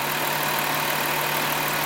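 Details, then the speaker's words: 2005 Dodge Grand Caravan with code P0404, scan-tool EGR flow test at 51% duty cycle: idle stays steady with no stumble and no EGR sense voltage, so the EGR valve is not opening. "so we're at 51% Duty cycon EGR valve but I don't hear the engine stumbling and we don't see the EGR valve sense voltage"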